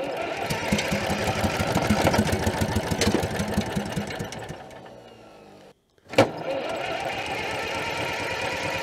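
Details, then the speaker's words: Allis-Chalmers track loader sitting many years, first run after refilling antifreeze: uneven rapid firing about three beats a second fades and stalls, then a clunk on restart; it is smoking so it gets fuel, cause of stalling unknown. "what are we out of fuel what the heck I don't know why it's not running now it's like it wants to go"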